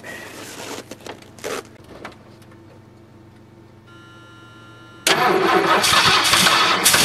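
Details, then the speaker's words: 1978 Ford LTD at about -10°F, jumped from a Buick: weak uneven cranking, then catches into a loud unsettled fast idle; hard cold start. "there we go finally started definitely a cold start I'm glad I finally got it going"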